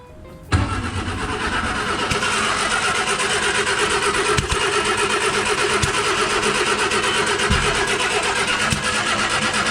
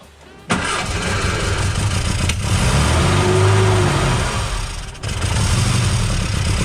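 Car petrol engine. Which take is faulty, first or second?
first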